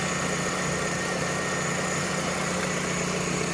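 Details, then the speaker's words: Vauxhall/Opel Astra F (MK3) GLS saloon with a 1.6 16V four-cylinder: smooth, even idle with a steady hum and no knocks, ticks or misses. Owner calls the engine absolutely sweet. Normal idle. "anyway this i bought this car as a project for the channel but the engine is absolutely sweet as"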